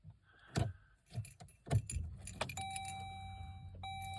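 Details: 2012 Jeep Grand Cherokee 3.6 on key turn: keys jangle, then a steady mid-pitched electronic buzz with a low hum and no clear cranking, won't start; push-button start reinstalled after key had worked; cause unknown.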